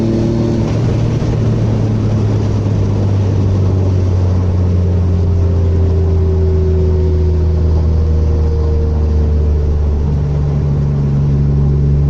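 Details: Mitsubishi TT Magna 6G72 DOHC V6 after its misfire was fixed: smooth, even engine note rising and settling through the revs with no stumble or skip; the V6 sounds healthy.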